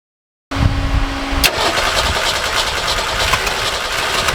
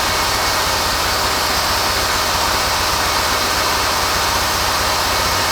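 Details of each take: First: Forklift engine before repair, worn carburetor, muffler torn off after right-side impact: cranks, catches, then runs loud, rough and uneven through the open exhaust with black smoke; rich running pulling exhaust into the intake. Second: Forklift engine after new carburetor and new muffler, revved then idling: steady even idle with no stumbles, pops or missed beats, not misfiring or blowing black smoke; normal idle after repair.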